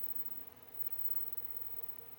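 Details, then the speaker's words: Sony Trinitron KV-8100 CRT TV, bought dead, powered from a bench supply at 24 V with reduced current: faint, steady very high-pitched flyback whine over quiet hiss; high voltage is on but there is no picture, ruling out the high-voltage deflection stage. "so I hear the high voltage the high voltage is on but there's no picture so there's definitely some issues going on here"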